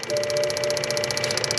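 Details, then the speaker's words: BMW with engine off, tank vent (evap purge) valve activated for 20 seconds by a Launch scan tool active test: crisp, even clicking about nine per second, steady beat. Valve cycling normally. "And that is an active test of the tank vent valve. That would be checking power and ground and if it sounds correct, because sometimes they will sound incorrect and then you'll know it's faulty."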